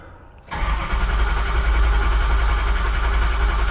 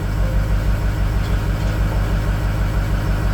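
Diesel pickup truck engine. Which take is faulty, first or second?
second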